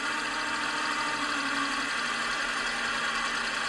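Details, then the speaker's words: Rare Ford Focus Mk1 Ghia LPG: steady idle with hissy, uneven character and occasional stumbles, a complete misfire at idle; another sound also present, possibly a bearing near the belts, suspected not confirmed. "yeah that's a a complete misfire that is not happy"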